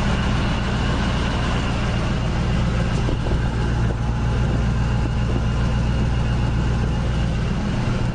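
Deep steady idle with a faint irregular stumble and buzz underneath, uneven enough to suggest a misfire or something loose shaking.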